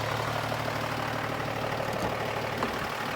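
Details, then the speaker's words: Toyota FJ60 Land Cruiser with a turbo diesel, idling with the gauges showing full cold, heard at the exhaust: an even, steady diesel clatter with no misses or knocks; healthy. "man it is it just it just sings and they give you the exhaust note out here listen to that i mean come on"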